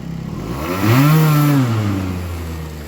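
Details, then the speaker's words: Aprilia SR50R Piaggio DiTech two-stroke after a throttle position sensor reset: a crisp buzz climbs to full throttle and drops back cleanly, without the stall it had before. Normal revving. "That's when I give it full throttle. But before it would uh stall and then run idle and then the throttle would stop."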